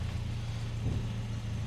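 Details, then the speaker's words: Car with a 2.3 litre red block 8-valve engine and small turbo, lowered; head gasket was a past issue. Steady, even low rumble at idle with no knocks, misses or ticks, running perfectly fine. Normal idle. "Oh, power. Oh, that sounds absolutely lovely. As you can see, it runs perfectly fine."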